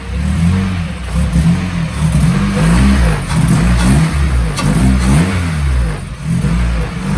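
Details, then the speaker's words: Honda K20A2 Type S swapped into EK Civic, first start after fixing a mix-up and rotten fuel line: runs and revs in short blips, pitch rising and falling smoothly, no knocks; normal running. "well the motors in and it starts and runs so that's pretty good"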